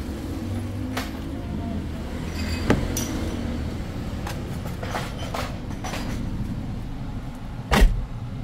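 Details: 2013 Toyota Altis top-of-the-line V after engine support bracket fix and maintenance, AC running: low, steady engine hum heard in the cabin, no knocks or thumps; smooth, even normal idle.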